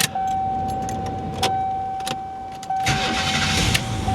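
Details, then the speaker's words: GM van with a newly installed starter, alternator disconnected and belt removed: the starter spins briefly and the engine catches cleanly, settling into an even, steady idle with no misses or grinding. "Ooh, smooth. Yeah, all right, at least something worked."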